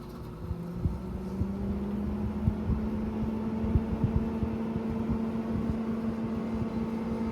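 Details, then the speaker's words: GE 6000 BTU window air conditioner on low fan speed: soft steady hum with a gentle fan whoosh and faint settling clicks. Pleasant, not intrusive; normal quiet operation. "Now, this is actually a pretty quiet operation. For also on the low speed, it's not quiet, but it's a pretty pleasant sound. It's not really intrusive."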